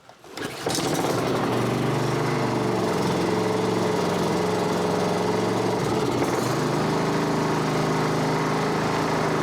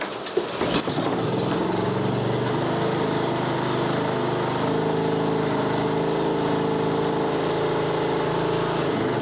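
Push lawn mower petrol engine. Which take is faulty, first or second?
first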